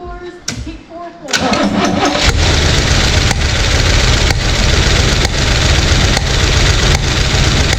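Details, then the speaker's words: 1971 Corvette first start after sitting 38 years, distributor just repositioned: rough lumpy idle with uneven sharp pops back through the carburetor, seemingly from one cylinder; owner suspects a stuck lifter or oversized fuel pump running lean. "so we do have it running but we do have a uh like a backfire or misfire or pressure coming back through the carburetor"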